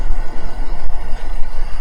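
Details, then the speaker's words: Chevrolet V8 with AFM/DOD after freeing a stuck collapsed lifter that had caused a knock without misfire: even low rumble at idle with no ticking; lifters quiet, engine idles smoothly, engine light still on. "we're gonna go ahead and see how the vehicle sounds now that I've started yeah now that I have stopped still running huh interesting totally quiet"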